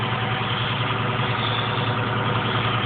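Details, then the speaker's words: 1973 International 1310 one-ton dually 2WD with a 392ci V8, T-34 5-speed overdrive and 34,438 original miles. Warm idle after driving all morning, not a cold start. Even, steady low rumble with no knocks or misses, so the engine sounds healthy. The clutch slips slightly. "i wanna give her a fire up but y'all listen to it it's not a cold start it's uh i've been driving it all morning"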